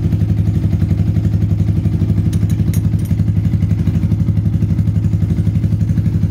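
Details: Yamaha Vixion/Xabre after engine rebuild with new cylinder block and piston rings (0.10 clearance), valve gap exhaust 0.15, intake 0.10: smooth, even low idle with steady pulse, no ticking or knocking; compression leak fixed, engine healthy.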